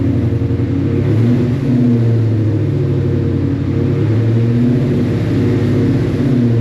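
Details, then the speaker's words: 1989 Mustang GT restomod just flashed with a base tune: deep, steady, even idle with no hesitation or surging; the tune appears to have fixed the earlier stumble; normal idle. "All right, I actually think it fixed my uh my stumble."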